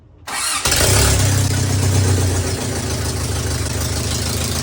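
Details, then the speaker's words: First start of a 22RE engine just dropped into a first-gen 4Runner, in neutral, using a jump pack. Brief crank, clean catch, steady even idle with oil pressure and a loud raw bark from the open header, which has no exhaust yet. "And yeah, that header is very loud. I need to make an exhaust for this thing ASAP."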